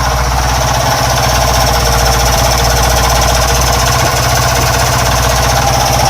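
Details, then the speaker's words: Honda Wave 110cc motorcycle engine before overhaul: loud, rapid hammering knock on every turn over a rough, noisy engine note; several faults, worn piston, scored cylinder and rough connecting rod. "sebab tuaku bagi tahu di awal video tuh nih bunyi ini bukan satu Masalahnya dia banyak masalah sebenarnya"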